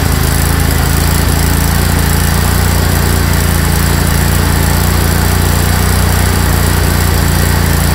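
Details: Craftsman GT tractor (model 917.258873) with 18.5 hp Kohler CV18S 624cc V-twin, formerly hard-starting, running after carburetor replacement (Kohler 24 853 41-S, new gasket); steady, even mid-pitched drone, no stumbles or surging, holding speed; normal running.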